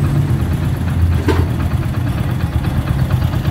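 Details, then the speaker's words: Hero HF Deluxe, about 80,000 km, after engine rebuild: steady, low, even single-cylinder idle at about 1,000 rpm with no knocks or rattles; freshly built motor sounds healthy. "अब हमारे हिसाब से बिल्कुल एकदम idol condition पर आवाज नहीं है 1,000 क्रीम पर यह लगभग सेट है"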